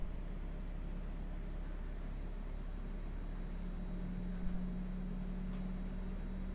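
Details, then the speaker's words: GE Profile air conditioner: low steady hum, then a piercing whine at about 190 Hz comes in after the compressor kicks on and holds; owner thinks it comes from inside the unit, cause unclear. "see i'm hearing the wine right now now i hear the whining it's not under just nothing in the nothing in the manual about it well i'll have yeah it's really yeah there it is it's loud that whining is loud it's like piercing piercing pierces into your head"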